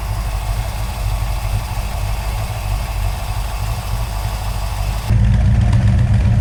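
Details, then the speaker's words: 1970 Dodge Challenger R/T, owner-built, just after a carburetor swap with a freshly rebuilt carb: steady, even low V8 idle burble getting slightly louder near the end, smooth warm-up, no misses; normal cold idle. "okay we'll give it a few minutes warm it up"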